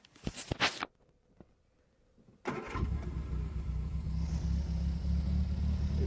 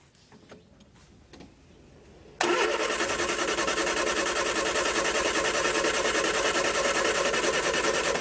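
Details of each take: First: Barn-find Triumph Spitfire first start in about 40 years after carb rebuild and coil plug refitted: a few clicks, then a steady even low idle with no misses or knocks; carburettor still needs tuning. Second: Barn-find Triumph Spitfire with rebuilt carbs cranking steadily, about three turns a second for six seconds, without catching; fuel pump not pumping, fuel starvation from filter clogged with coffee-ground-like debris and a dead pump.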